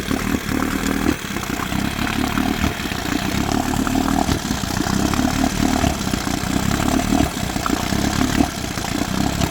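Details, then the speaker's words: 1972 Johnson 9.5 two-stroke outboard, running a rich oil-heavy mix: rough, uneven running at low speed with stumbles breaking the beat; misfire, owner suspects it is firing early, cause unknown. "Not sure what that misfire is. It's almost like it's almost like it's firing early. Doesn't sound good."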